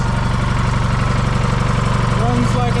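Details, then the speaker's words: John Deere 440 crawler, GM Jimmy 2-53 two-stroke diesel, 6V positive ground, after key switch, solenoid and starter repairs: even steady chuffing pulses at fast regular beat, no misses or knocks; healthy idle. "supposed to I can even show even makes noise like a two stroke supposed to"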